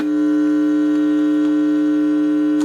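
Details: Supreme 78 RPM record player under repair: steady low electrical hum with a buzzy edge and no music, then cuts off; cartridge sounds open, output extremely low.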